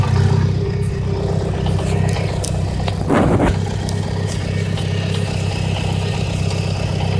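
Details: Mitsubishi Lancer Evo IX with an HKS exhaust camshaft: lumpy, uneven petrol idle with a deep off-beat chop, about four pulses a second. The cam caused the rough idle and check-engine light that the owner first took for a cylinder 2 misfire.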